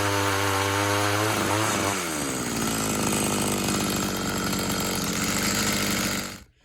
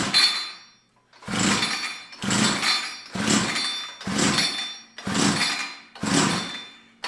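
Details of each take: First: Tecumseh TC300 two-stroke ice auger after new piston rings, compression just over 90 psi: revs up cleanly, then holds a steady high buzz pulling under load without stumbling; normal running under load. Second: Tecumseh TC300 two-stroke ice auger with fuel poured into the cylinder: about one pull a second, each a brief rasping crank that never catches; plug possibly flooded with WD-40.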